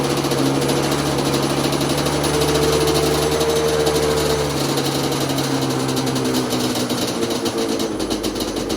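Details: Yamaha Banshee two-stroke ATV on a freezing day, hard to start with the choke held by hand and starting fluid used: it runs unevenly, speed wandering and then sagging; the carbs are believed to need going through.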